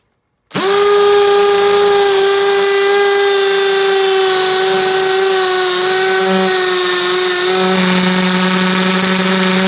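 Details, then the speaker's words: Makita XPH07 brushless cordless hammer drill, speed 2, hammer mode, concrete bit into cinder block: steady motor whine dipping slightly in pitch as the bit bites; running normally under load. "I'm gonna put it on speed to just the non brush this one first and we'll put it on the hammer function and we'll see how it does"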